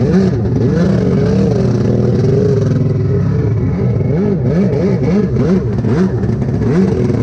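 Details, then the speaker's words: Rebuilt SuperFreak two-stroke watercraft (760) on the water, carbs torn apart repeatedly with new kits on both and different jets tried, still unsolved: revs surge and sag unevenly, never holding a clean steady note. Poor running, carburettor fault suspected. "All right. Well, as y'all can see, the ski is running like crap. Um, couldn't ever get it figured out. Um, tore the carbs apart multiple times, put different, uh, jets in it, everything."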